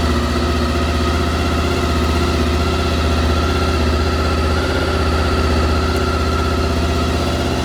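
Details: Honda VFR 800 after replacing a suspected bad ECU and the HISS system: steady deep idle with an even beat, no hunting or stumbling; bike now starts and runs properly.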